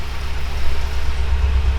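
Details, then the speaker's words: BMW M6 S63 twin-turbo V8 with severe misfire on cylinder 2 and flashing check engine light: deep lumpy pulsing idle as one bank is shut off, apparently running only on driver-side bank 5–8. "Yeah, right now the car is running only on one more time. It's running only on one bank. It's turning off one of the banks."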